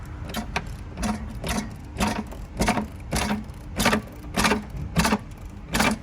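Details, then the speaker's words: Hybrid truck engine (GMC Sierra suspected, unconfirmed) with spark plug removed, rocked back and forth by hand: loud knock with each swing, under two per second, something loose in the flywheel region; engine shakes harshly only when running, smooth in hybrid mode. "Yeah, so it's like something in there knocking around. I don't supposed to hear that noise."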